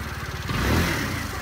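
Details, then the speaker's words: Honda Metropolitan 2013-2015 scooter with 95cc big bore kit, cam, high-speed variator with stock rollers, fuel injection tuner, stock exhaust and airbox: small single revs smoothly and settles, even beat, no loose valve chatter; sounds stock, running normally. "sounds pretty stock probably sound in the videos they always sound real chattery like the valves are loose doesn't sound like that"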